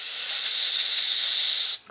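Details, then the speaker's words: Leak-down tester on Yamaha YZ250F engine after valve adjustment: thumb pressure eased to simulate a slight engine leak, giving a steady high airy hiss for under two seconds before cutting off sharply; compressed air escaping past tester outlet. "maintenant je vais simuler une fuite moteur légère en lâchant la pression que j'ai sur mon pouce légèrement"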